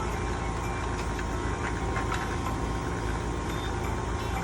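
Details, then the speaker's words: R-22 AC unit not cooling: a steady, rough, heavy hum with faint tones and scattered clatter from the compressor, which squealed when gauges were hooked up; charge significantly low, suction about 46 psi; suspected compressor noise from low refrigerant. "that compressor was making a lot of noise but I got refrigerant I can hear it squealing when I hooked it up so it's not out"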